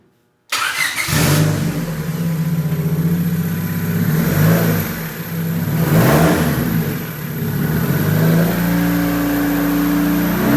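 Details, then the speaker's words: Turbo D16 EK Honda Civic enduro race car on static test fires, catches right away, revs and drops back in uneven blips, then runs; normal start and running. "It starts. Yeah, it starts, runs."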